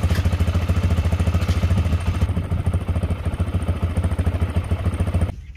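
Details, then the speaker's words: Honda XR250 single-cylinder dirt bike bought non-running, after fresh oil change: even thump about three beats a second, steady with no misses or rattles, then cuts off; normal idle, oil level holding. "so as you can see the oil level is still at the right height after running for a while"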